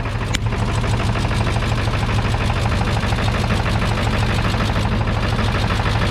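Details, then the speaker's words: 7.3 Powerstroke diesel with new injectors and rebuilt turbo, just started with ether after a year: loud idle with lumpy, uneven beat around two per second, rough after first start though said to sound kind of normal; boost leak visible. "She started. Dude, now that kind of sounds normal. Huh? That sounds kind of normal right now."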